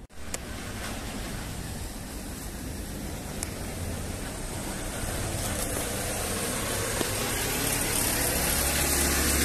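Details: Loncin Rover 250 single-cylinder engine just rebuilt after other mechanics failed, first start after lubrication test: steady putter about 230 beats a minute, slowly firming up, no tapping or rattles; normal idle.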